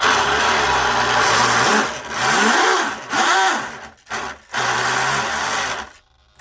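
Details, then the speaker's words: Twin Leopard 2860 2730KV brushless motors with OSE 90A ESCs on RC drag boat, first test after reversing starboard motor: whirring tone rising and falling with throttle under a loose uneven rattle; props not tightened, drive dogs not yet set. "Okay, I need to tighten my props up. That's what that noise is, you know. My props aren't tight."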